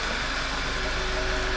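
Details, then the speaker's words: 2011 Passat at idle after replacing the failed PCV valve: steady, smooth, unchanging idle with no stumble. "So listen to it now. It's smooth now."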